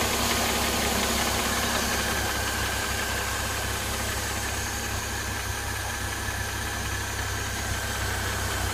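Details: Mercedes M272 engine after cold start, warming at idle, hood open: dry metallic rustling rattle patters over the steady run, seemingly from the left side, diesel-like; cause unknown.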